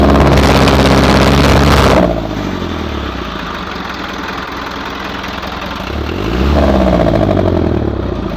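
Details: Hino truck diesel idling: regular clatter around three to four per second, steadier and louder than it should be; abnormal engine noise, cause not pinned down.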